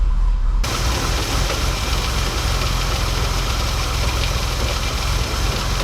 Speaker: All right, so we let the car warm up and good thing we did because before the exhaust did sound a little choppy, but we're looking absolutely great now.